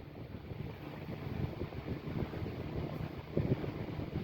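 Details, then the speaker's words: 1910s desk fan running just after being lubricated; a steady airy rush with a low siren-like hum and no scraping or ticking, spinning freely and healthy. "Sounds like a siren a little bit. There we go, that's perfect, that's how it should be."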